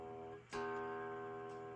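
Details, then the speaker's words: Fender Strat-style guitar after lowering the bridge saddle quite a bit and evening its screws: single open strum rings clear and sustained with no rattle or fret buzz; string height set right. "So I lowered it quite a bit, and if I strum this open, there's no"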